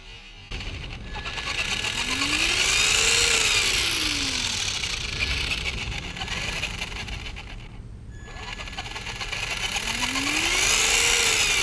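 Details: Traxxas Slash 2WD 550 12-turn brushed motor running after a squeak fix; clean electric whine rising and falling smoothly with throttle, no squeak or chatter; healthy brushed motor run.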